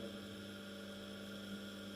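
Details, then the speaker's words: Small 230 V single-phase induction motor, no load, run from a homemade variac at its rated 230 V: even low hum with no knocks or rubbing. Slightly more casing vibration is felt, but loudness is unchanged; normal running. "casing yeah I'm definitely on the floor I'm sensing a bit more vibrations but the audibility of the drive the motor is pretty much the same"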